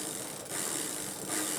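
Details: Worn mountain bike (Pinnacle) with stretched chain and shark-toothed chainring and cassette: rear wheel coasting, fine, fast, even ticking of hub pawls, no grinding; freewheel sounds healthy, normal ratchet.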